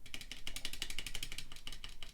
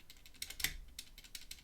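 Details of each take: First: ZSA Moonlander keyboard, large triangular thumb key after a stabilizer rattle modification using tape: a fast run of soft, muted key clicks, about four a second, with no rattle or ping. A normal, well-damped press. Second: ZSA Moonlander keyboard's large triangular stabilized thumb keys before modification: sharp key strikes, each with a thin metallic buzz; stabilizer rattle, later reduced with heat-shrink sleeve and Krytox lubricant.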